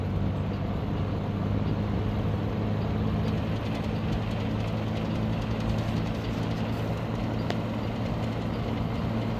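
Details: 1970s Galaxy 3713 Turbo Stream 20" box fan, 3-speed non-reversible motor, running on low: smooth even low hum with steady airy rush, no rattles or scraping; motor runs healthily.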